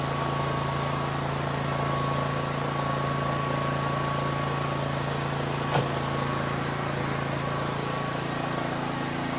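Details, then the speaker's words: Mower engine after a jump start from another battery: steady, even note with a firm low hum and faint whine, no misses or knocks; runs normally, confirming the battery is bad again. "So it can start. It started. So that means it's the um that means that the battery is bad again."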